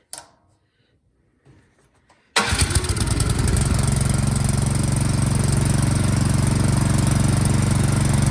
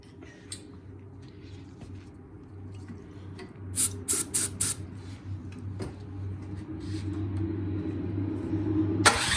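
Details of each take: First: Fairly new Troy-Bilt snowblower that would not start, after carburetor jets and passages cleaned of debris, primed and choked; catches at once and settles into a steady, even putter; fault was just a dirty carburetor, now runs normally. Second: Troy-Bilt snowblower that won't start, spark checked, starting fluid sprayed into carburetor intake: quick cluster of sharp pops as it catches but won't run alone; fuel delivery fault, dirty carburetor jets with debris, cleaned afterward.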